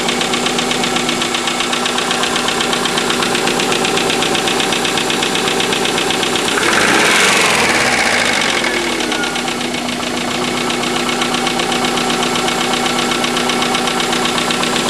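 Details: Subaru EJ25 at idle: a regular metallic knock, about four per second, rising and falling with the engine. Owner unsure whether it is piston slap or rod bearings.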